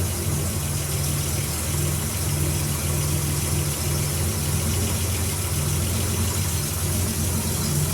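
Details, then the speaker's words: Nissan Z31 2+2 at idle just after installing a new home-built 3-inch downpipe: steady, even low rumble with no ticks, leaks or rattles, not much different from before; normal idle. "all right well i got the downpipe installed got everything hooked back up so let's fire it up see how it sounds not much different"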